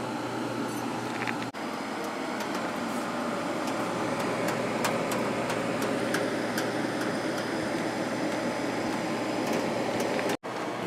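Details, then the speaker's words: Sharp 10,500 BTU window air conditioner upstairs, running: soft, even airy whoosh with no rattles, knocks or squeals; very quiet and smooth, normal operation. "the upstairs 10,500 running again very quiet very smooth"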